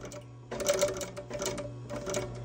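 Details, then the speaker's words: Industrial sewing machine clutch motor with pedal pumped to slow it: low steady hum with rapid needle clatter in short bursts; normal clutch motor control. "to make it go a little bit slower sometimes it just flies it goes on look even when you power it down it still kind of makes a noise that's the difference"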